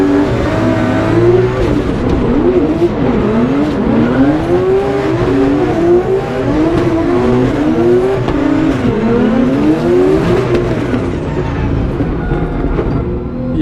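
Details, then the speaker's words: Drift car at high RPM on track: revs keep bouncing and cutting out well short of the real limiter, a false-limiter misfire like a coil pack issue; nitrous off; cause found to be cracked spark plug porcelain. "I still have the issue. It's like a false limiter. I don't know if you guys could hear it on those two laps, but the team found that the porcelain on the spark plug was actually cracked."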